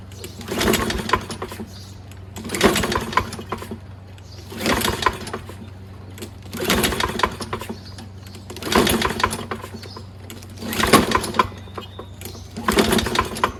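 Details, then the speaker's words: Toro Recycler mower, Kohler XT675 6.75 engine, after cleaning flywheel and fuel in plug hole; seven recoil pulls with whirring rasp and no firing at all; plug found fouled with oil buildup: no start from fouled spark plug. "Man, not even a little. That's really strange."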